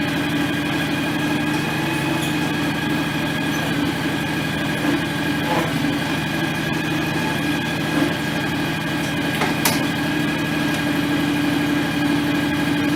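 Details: John Deere X738 lawn tractor running after 50-hour service refilling the shared front axle/transmission/hydraulic/steering oil: small engine at steady even speed, no whine from the drive; sounds healthy, steering a little stiff.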